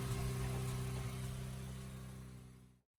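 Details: 1979 Mazda B2000 after the exhaust manifold gasket was replaced, found never previously changed, to cure a loud exhaust leak: steady low, even idle hum with carburetor audible, no puffing or ticking from the manifold; normal idle.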